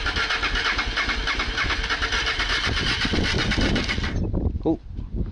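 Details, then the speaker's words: Honda Hawk GT/Bros 650 V-twin, late-80s bike: starter churns about four seconds without a single catch, then stops; fuel tap was left off, so no fuel reached the engine. Crank, no start. "all that, I forgot to bloody put the fuel on."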